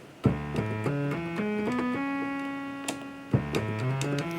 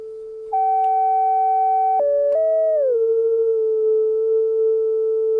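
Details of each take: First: 1974 Minimoog before repair, all oscillator mixer levels at zero: a buzzy sawtooth-only tone still sounds through the keyed notes, so oscillator two bleeds through the mixer; the filter also has tracking problems. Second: 1974 Minimoog after restoration, envelope generators and everything else off, filter set to self-oscillate: a clean, pure tone glides down, holds, then steps crisply between notes with no warble; filter oscillates and tracks properly.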